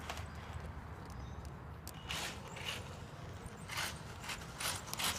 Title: Axial Yeti Grinding Sound